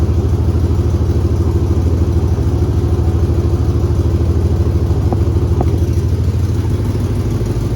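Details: 2001 Chevy 2500 farm truck, first start after new fuel lines were fitted and the air purged, firing almost first hit. Rough, tractor-like chuffing under revving with a steady ticking puff pattern. Exhaust leak.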